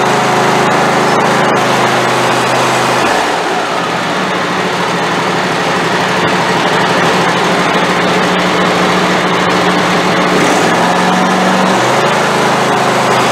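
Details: Craftsman YT4000 hydrostatic riding mower, valves not yet adjusted: loud buzzing run whose pitch sags and recovers every few seconds, hunting and rough; fuel problem likely, owner expects carburetor problem.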